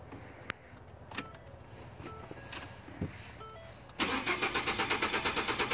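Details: 2013 Ford F-150 cranking but not starting: starter spins the engine in even pulses about five a second without firing, caused by a burnt 20 A fuel pump fuse.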